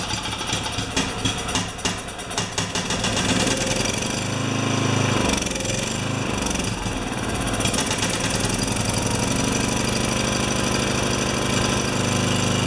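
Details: Makita G2400R generator (Subaru engine) fitted with a Briggs & Stratton carburetor, no choke, fuel on: ragged stumbling firing, then uneven hunting run that never settles.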